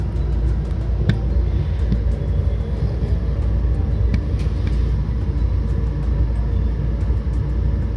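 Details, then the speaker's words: 80,000 BTU Big Maxx natural gas garage heater after fan shaking fix with steel frame: brief jerking noise at start, then steady deep rumble and even low hum, no shaking or rattle; running quietly, normal. "yeah sounds like it is working apart from that jerking noise in the beginning seems like it's working quietly nice a table fan"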